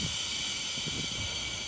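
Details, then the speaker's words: Polyset refill system start-up, A regulator set to 150 psi and B to 165 psi, then nitrogen intakes opened: steady high-pitched hiss of cylinders pressurizing, stopping when full; normal pressurizing hiss. "Then we'll open the A nitrogen intake. You'll hear the cylinders pressurizing. We'll open the B, and you'll hear the same."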